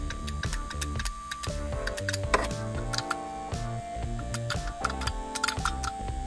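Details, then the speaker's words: BMW with cold-start problems (coils and plugs already replaced), VANOS camshaft actuator solenoid removed and cleaned with brake cleaner, then energized on the bench: crisp, distinct clicks each time power is applied; solenoid switching cleanly, not the worst one. "on fonctionner entend bien là il claque bien ça c'était pas le plus mauvais celui-là"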